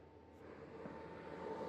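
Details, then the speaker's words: Antminer L3+ miners, four running at full power measuring about 60 dB: smooth airy rush climbing in loudness with a steady high whine as fans spool to full speed; normal operation. "j'ai 60 décibels avec les quatre machines en fonction à plein régime"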